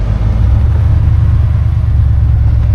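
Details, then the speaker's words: 1966 Oldsmobile 98 V8 driving with the top down on a cool morning: a deep, even rumble with no ticking, no exhaust leak and no rattles; the engine and exhaust sound healthy: normal running. "motor sounds good. I don't hear any ticking. Not hearing any exhaust leak. No holes in the muffler. Everything sounds pretty quiet, as about what you expect."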